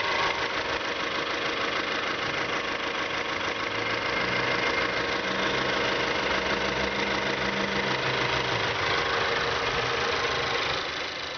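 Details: 2012 Mazda3 GS Skyactiv 2.0L gasoline direct-injection engine, 16,000 km, at idle: quick even ticking about three a second above a smooth hum; dealer says it's normal, owner doubts it.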